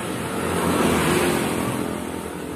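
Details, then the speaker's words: Honda Vario 150 LED (K56), rear wheel spun with the CVT pulley removed: even, smooth whirring with no grinding; with the pulley fitted it ran rough from worn rollers and pulley bearing. "Nah, di sini jika tanpa menggunakan puli ee terdengar sangat halus."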